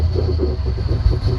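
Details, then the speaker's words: 1990 Ford Mustang 5.0 GT V8, sat over 4 years with engine apart, idling: deep lumpy stumbling idle; misfire, vacuum leak suspected then spray test points to bad injectors, not confirmed. "sounds like a big vacuum all right so first thing i'm going to check for big vacuum leaks"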